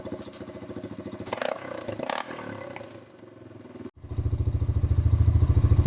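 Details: Honda TRX350 ATV after carburetor cleaning: slow even single-cylinder thump climbing only slightly, won't rev; owner suspects too little back pressure to lift carburetor slide without stock air filter, or torn diaphragm.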